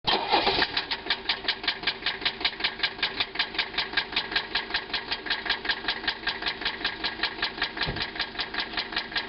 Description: Is this noise rod knock? This 85 300TD got driven on low oil until it started making loud engine noise.